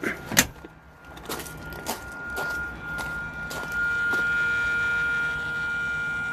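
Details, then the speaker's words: 2007 Hyundai i30 folding door mirror: a few clicks, then a thin, steady electric hum from the mirror motor that runs constantly whether the key is on or off; cause found in broken parts, repaired without new ones. "There's a motor going there all the time, constantly. It doesn't matter if the key is on, if the key is off, that noise is always there."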